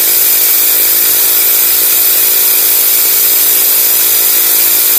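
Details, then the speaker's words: Honda GX35 grass cutter four-stroke at full throttle after carburetor cleaning: high, even buzz with no surging or dropouts. Previously it stalled even at full throttle and would not cut; the dirty carburetor was the cause, and it no longer starves. "hindi na siya kinakapos guys h na siya kinakapos lilinisan lang natin yung karburador niya"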